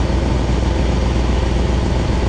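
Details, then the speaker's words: 1966 Ford Thunderbird 390 big-block V8, just revived after sitting, fuelled via the carburettor bowl, idling to warm up before an oil change (oil very black); steady low, slightly lumpy rumble, no odd knocks; normal idle. "all right so what we're doing he's gonna work throughout a little bit and we're gonna get a heat cycle in here get the engine at operating temperature because we need to change this oil"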